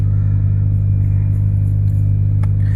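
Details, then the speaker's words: 2000 Ford Focus 1.4, cold start after cleaning the idle control valve for a hunting idle: smooth even low drone, no misses or knocks, idling slightly high on choke. "let's get a bit of gas let's take them up a little bit 200 2,000 there go now she's on choke so what I'll do I can either leave it here [Music] or I can leave it to warm up so you guys can see for"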